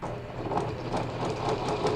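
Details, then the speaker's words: Repaired 20-year-old Janome Flare 810 computer sewing machine sewing its widest zigzag at a dense stitch length: quick regular needle clicking over a light motor whir, steady rhythm, normal stitching. "넓게 촘촘한 바느질에 촘촘한 땀수에 지그잭 바느질을 하고 있는 거예요."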